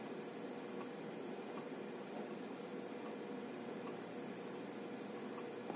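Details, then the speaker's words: 3 TB 3.5-inch hard drive in an AgeStar 3UB3A8 USB enclosure while loading data: faint regular ticks about every 0.75 s over soft hiss; it did not click inside the PC, possibly insufficient power. Hard drive clicking. "сейчас постоянно бегая да потому что он постоянно грузит емкости пощелкивает"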